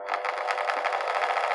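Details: Parkside sander that had stopped working and would not start, run with its cover loosely refitted after disassembly: a steady high-pitched buzzing hum with a quick, even flutter from the pad, running normally again.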